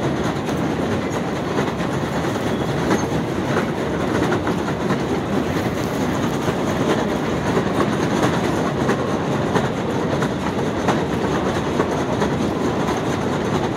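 A constant loud clatter with loose, uneven clacking about once a second and no change in speed; a noisy escalator, cause unknown.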